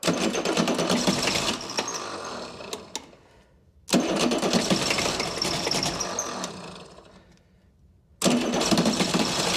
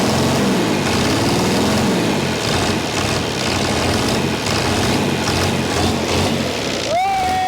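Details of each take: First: Chrysler (Mitsubishi 6DS70) six-cylinder marine diesel, stored for years in a barn, first start attempt: catches in three short rough bursts and dies each time; injectors not fully bled of air. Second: Chrysler diesel (rebranded Mitsubishi 6DS70 marine six), saved from scrap after years in a barn, after bleeding all six injectors: loud, even, steady idle clatter running on its own, firing on all cylinders.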